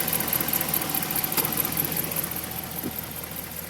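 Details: 2010 Ram with 5.7 Hemi at idle: steady quick ticking about four a second over a smooth idle; mystery top-end tick, cause unknown.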